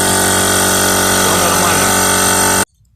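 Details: Air compressor that hummed but would not start, after replacing the failed start/run capacitor (motor tested OK): loud, even motor roar holding steady over two seconds before cutoff; starts and runs normally.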